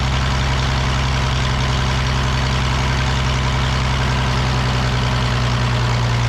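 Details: The Rockabilly Rat, an old truck engine, idles smoothly after getting spark to the plug and adjusting timing: a deep, even low rumble with a steady beat and no stumbling or knocks.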